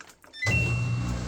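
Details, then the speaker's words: Samsung front-load washer with intermittent ND (no drain) code; steady low electric hum of the drain pump running normally before fill, preceded by the door-lock click; pump later died. "That's the sound of the drain pump. Um and right before it does that, you'll hear the click for the lock and then it'll start filling up with water."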